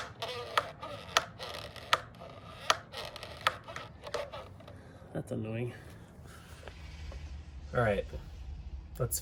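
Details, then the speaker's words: Skateboard truck flexed by hand: short high rubbery squeaks among knocks and handling noise, suspected dry pivot cups or bushings; fix is rubbing grated candle wax on them. "know what's really annoying is uh squeaky pivot cups or squeaky bushings uh it drives me crazy sometimes it distracts me when i'm skating"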